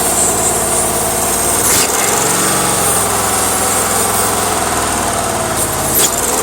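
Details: 1993 C4 Corvette V8 at idle: constant airy hiss over a lumpy idle; owner suspects vacuum leak from the valley through intake ports via a leaking intake manifold gasket, not confirmed.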